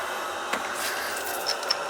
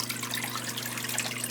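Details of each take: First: Zoeller sump pump after repair, cords taped up and just plugged in: a faint steady hum with a few light ticks and no grinding or rattle; very quiet, normal running with no leaks. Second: Failed Zoeller sump pump with two separate lines: a steady low mains hum with splashing, trickling water and no click-off when the float drops; the float switch has failed, the pump keeps running and will be replaced.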